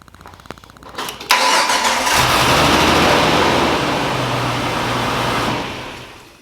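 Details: Jeep TJ with new starter that only clicked, battery good, after battery terminals unhooked and reconnected: a few dry clicks, then the starter spins briefly and the engine catches cleanly into a steady even run. Starts normally.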